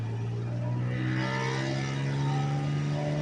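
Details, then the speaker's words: Car after replacing three front spark plugs (one heavily carboned) and repairing a broken plug wire boot: engine revs cleanly to 4000 rpm with smooth even note, no stumbles; misfire fixed, runs healthy. "now check it out this baby will spin four grand no problem now"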